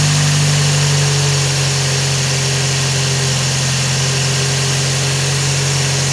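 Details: Scion xB idling: steady engine with a constant rough grinding whir, traced to a worn-out water pump. Water pump bearing grinding.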